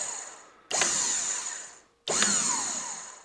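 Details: New SEI trim pump kit for a 1976 StarCraft boat with Mercruiser 120 hp, hooked up for up and down: two short bursts of high electric motor whine, clean starts tapering off; reversible pump motor runs freely.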